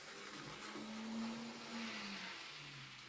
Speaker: But I must admit, he was running faultlessly then. Did you notice there was none of that squeal anymore?